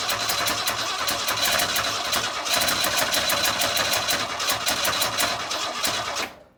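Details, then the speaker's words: 1962 Ford Falcon old inline engine, points sanded and coil wired direct, running on starting fluid with no carburetor. Uneven, lumpy firing of about three beats a second never settles, then dies; unsure all cylinders fire: rough running. "well it started to pick up a little bit more I don't know what all cylinders are firing but well guys I think until I get the carpet on it that's about the best I can do because obviously it's trying to run wide open"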